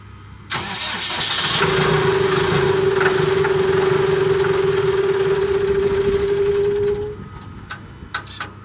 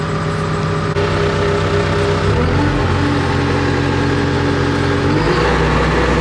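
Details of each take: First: Cat D3K2 dozer diesel, complaint of rough running, power loss and bogging when pushing, fluctuating rpm, white smoke; dash warning light came on; tank just filled: starter whirs several seconds, engine never settles; hard starting, cause unconfirmed. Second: Cat D3K2 dozer, diesel, warm after 15–20 minutes pushing in a pile following a repair for rough running, power loss and bogging: deep rumble climbs and settles cleanly through speed changes, no knocking or stumbling, no codes, soot load down to about 10%; running normally.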